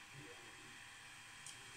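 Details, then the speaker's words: Ender 3 3D printer with a BTT SKR mini E3 board; the power supply and mainboard fans run in smart mode holding 30°C, just after starting a print with a 60°C bed and 200°C nozzle. A soft, steady hiss from the fans, running quietly and normally. "I've just kicked off a print and I'm just blown away by the quietness it's just so peaceful restful"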